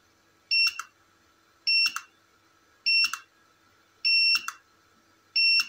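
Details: Tronic Alfa studio monoblock flash after repair of power-drop and calibration faults, with front and rear cooling fans, test-fired repeatedly: five identical cycles about every 1.1 s, each a short high beep then a sharp pop; stable, consistent firing and recharge.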